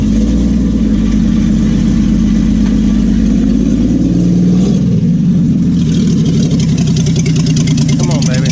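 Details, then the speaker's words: Willys Jeep truck engine idling: steady low idle with slightly uneven, lumpy beat, no knocks; not running as smooth as it used to, owner plans to pull the carburetor, cause not confirmed. "It's not running as smooth as it used to. I got to pull the carburetor."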